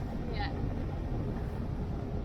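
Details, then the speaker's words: Sailing yacht Zora's newly installed diesel engine on first sea trial after relaunch: low, steady thrum under water and wind noise, no knocks or surging; engine running well. "Sea trial's going pretty good. The engine's running well. The rig is unreal."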